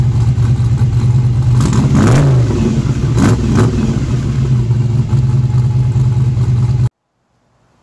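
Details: Fresh-built truck engine on its first start: deep, lumpy idle with a couple of sharp throttle blips, then shut off early because water temp ran a little hot. Good oil pressure and voltage; running rowdy but healthy.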